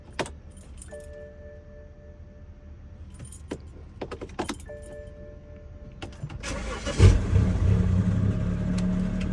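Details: BMW E90 with N55 engine: keys jingle and chimes sound, then starter churns steadily for a few seconds but the engine never catches; cranks but won't start, cause unknown.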